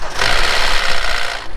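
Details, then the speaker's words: 2012 Hyundai Elantra 1.8-liter, recall short block replaced, cold start after sitting with dead battery: sharp rapid clatter for about a second then dies away; CVVT solenoids on camshaft ends worn, clacking after losing oil pressure. "it is the C VVT solenoid on the end of the camshafts that do tend to wear out and when they do lose their oil pressure after sitting for so long they'll make that clacking noise when they start up"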